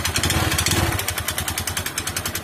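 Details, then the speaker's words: Honda Verza motorcycle, about 2020, ridden several km without oil until it seized, restarted: small single revving roughly with harsh rattly clatter every firing pulse; dry, oil-starved internals. Oil starvation engine damage. "namun di engkol lagi atau di kehidupan atau dihidupkan lagi dia bisa hidup namun suaranya seperti ini"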